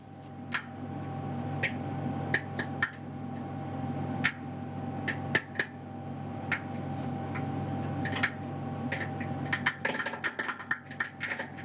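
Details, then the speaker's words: BEAM expandable module on the ISS during expansion with short air bursts: sharp, irregular pops and snaps, about twenty in twelve seconds, over a steady hum. These are the expected rip-stitch straps breaking as the module expands. "you can hear the popping noises coming from inside beam that again good noises is that's the the rip stitching going throughout the module"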